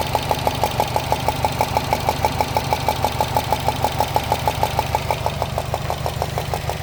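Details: 2013 Subaru Impreza WRX at idle: sharp, very regular ticking about three times a second from the top end, like a golf ball sliding inside the engine, located near the turbo; source not yet found.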